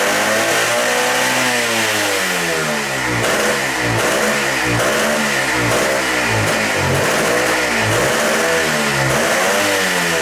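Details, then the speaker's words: Motorcycle with bad carburettor floats set high to stop flooding: revs blipped up and down about once a second, wandering unevenly. Running lean, so the least throttle makes it stop running. "And when they're bad, if you set them high enough to keep it from flooding out, then you're too lean."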